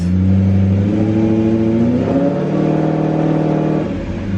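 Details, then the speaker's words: BMW E34 540i after a new ZF transmission replaced one that whined badly: in gear, the engine is smooth and rises and falls with revs, with no transmission whine and no exhaust leak. Normal running in gear. "no no noise oh my gosh i am so so happy right now"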